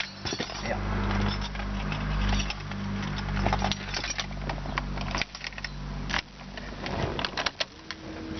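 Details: Car restarted, starting at the first turn: a steady low engine hum at even idle with keys and handling clinks on top, and the engine sounds like it is running cleanly.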